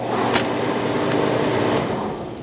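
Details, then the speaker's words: Whitfield pellet stove, start pressed with the plug left in: steady motor hum with a couple of sharp clicks for about two seconds, then sags and fades as it stops immediately; motor cuts out right after start, the recurring fault. "I'm pressing the button at the top here and you can see that it stops immediately"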